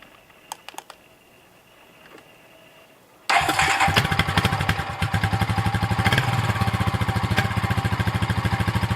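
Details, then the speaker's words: 2000 Honda TRX350TEY Rancher ATV after replacing the carburetor, which sputtered and leaked fuel from the overflow tube: single-cylinder catches at once and settles into an even, steady beat; clean start, smooth running. "look at that sounds great"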